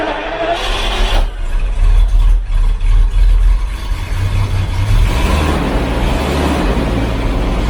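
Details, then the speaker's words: 39-year-old Jaguar XJS V12 after new spark plugs (cross-threaded plug holes): deep lumpy idle with occasional stumble; one cylinder on a bank still dead, third plug suspected; cylinder misfire. "all right it's still not running on every cylinder on this bank let's take out the third plug on here because that is the one that"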